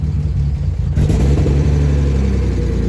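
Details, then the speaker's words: BMW E36 that had been sitting, smoking, with a hole in the intake: engine catches, then a low, uneven, lumpy idle sagging as if to stall; won't idle on its own due to intake vacuum leak. "There is a hole in the intake, so completely off. Is it idling itself? No. All right, try and let it idle. If I let it idle, it tries to die."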